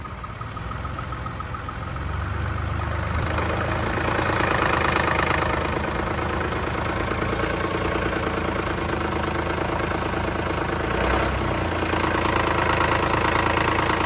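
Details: 2010 Lexus RX350 at idle: fairly regular light tapping, roughly four a second, over the engine hum; engine knock, cause not pinned down.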